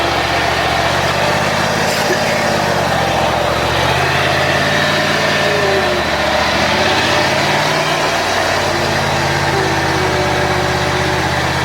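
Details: John Deere X540 mower that came in crank-no-start with no spark, idle about a year; both coils found dead, failed module swapped. Steady two-cylinder engine at fast idle, no misses or knocks, firing smooth and consistent: normal running after repair.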